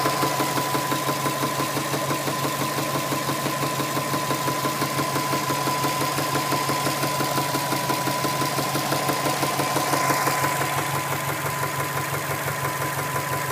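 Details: Engine knock at idle: a steady, regular knock of about three beats a second rides over the idle and stays even throughout.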